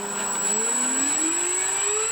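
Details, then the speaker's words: Dynam Smart RC plane electric motor after foam trimmed for clearance where it was rubbing: clean whine climbing smoothly with speed, no rubbing or scraping, much quieter; motor runs freely. "well we've got the old the motor sorted that's all back in and as good as it's gonna be and it's much quieter in it"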